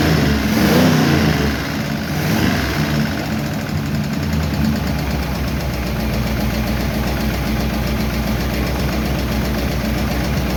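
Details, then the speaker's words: 1951 Chevy engine idling after another minor valve adjustment: faint light ticking over steady idle, way better than before; minor valve lifter tick, owner will let it run to see if it quiets down. "It's a very minor tick there, but it's way, way better. Let it run for a while and see if it quiets down a bit, but it's not bad."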